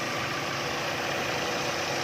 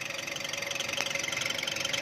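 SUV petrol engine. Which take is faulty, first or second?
second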